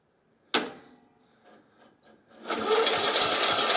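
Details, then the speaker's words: Craftsman YT 3000 lawn mower cranked directly at the starter with the air blocked and a shot of fuel: a clack, then steady cranking that never fires. The owner suspects fuel isn't reaching the engine through the carburetor. "yeah that should have started but I don't think my gas is getting in cuz the carburetor is on there"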